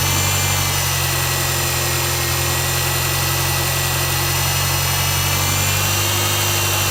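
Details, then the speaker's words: Mazda 6 MPS at idle: fast, light knocking at about three to four per second over a steady hum, occurring only up to 1500 rpm. Knock at idle, cause unknown and not pinned down. "так проблема в следующем здравствуйте значит двигатель постукивает на холостых оборотах до полутора тысяч короче"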